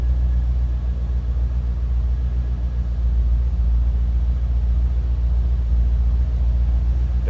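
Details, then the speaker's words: 1989 Chevrolet Corvette C4 convertible with a 5.7 L V8, heard with the hood up: a deep, even burble at idle with a steady low rumble and no knocks, misses or ticking, a healthy idle. "sound too bad. Let's take a peek. It's 5.7 L V8."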